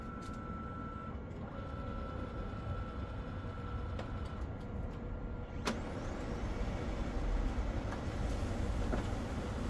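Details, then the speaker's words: Brother DCP-7065DN laser printer after the no-paper-error tray sensor spring repair: a steady motor whir with a faint tone and one soft click as the sheet is drawn in; normal paper pickup. "Okay, you can see it's getting the paper out, or you can hear it."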